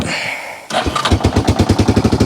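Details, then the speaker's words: 1995 Yamaha Wolverine 350 after fixing a crank-no-start (spark plug and cap suspected): catches after a short crank and settles into a steady single-cylinder thump; runs well though slightly rich, spitting a little, with a leaking head pipe exhaust leak. "he seems to run pretty good now"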